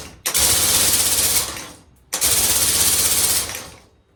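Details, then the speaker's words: Compressed air engine prototype with air set at about 250: two bursts of fast hissy air chuffs that fade once air is cut; engine only turns over and won't keep running, sounds like it wants to run. "Sounds like it wants to run."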